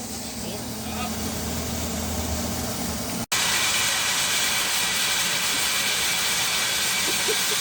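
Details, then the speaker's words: Abandoned 1970 Oldsmobile Toronado 455 V8 first run after sitting for years, no fan fitted; engine cuts out and a loud steady steam hiss follows, coolant boiling over from overheating, worsened by water pump stopping after shutdown. "We're going to call that a success. [Music] Oh, we have overheated it. Well, that's a good time to stop."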